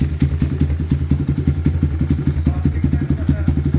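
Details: EGL 250 single-cylinder carbureted motorcycle (PE carb) after rejetting to size 40 to cure hesitation: quick, steady, even idle thump about three pulses a second with no stumbling or bogging; runs smoothly.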